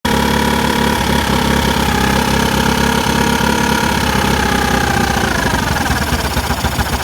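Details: Carbureted engine with freshly cleaned carburetor: uneven, lumpy idle with irregular beat and slight hunting in the exhaust note; rough idle, cause not yet found.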